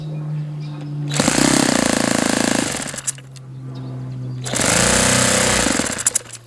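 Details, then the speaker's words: Saito FA-91S model four-stroke glow engine on a test stand, chilly ~60°F day, after swapping to an OS F plug and different igniter: fires and buzzes about 1.5 s, drops out, catches, then dies; won't keep running, plug apparently not the cause, owner suspects carb blockage. "Doesn't appear to be a plug. It's just something not happy with this engine. I wonder if we've got some kind of blockage in this carb."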